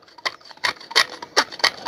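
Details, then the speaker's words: Hand vacuum pump on a sous-vide container, Amazon vs Milord comparison: harsh scrape on every stroke, about three per second, with quiet gaps between. A rail inside rubs; owner says it is breaking down. "T'entends que ça frotte? Il y a une espèce de rail, là. C'est en train de tout se défoncer."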